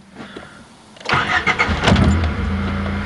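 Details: 1991 Honda Civic DX hatchback, dead for maybe a couple of months, after new zero-gauge battery cable, new plugs and big battery: starter catches and engine fires straight into a steady, even idle; starts and runs normally.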